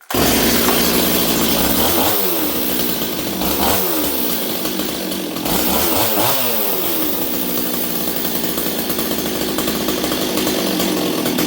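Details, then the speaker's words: Stihl 026 chainsaw, already warm, carb deliberately set rich after earlier running badly lean in the cut: uneven burbling blubber, missing and stuttering at speed instead of a clean scream. "okay you can see this thing's a little Rich right now I set up the carb so that it would really blubber cuz I wanted to hear it blubber"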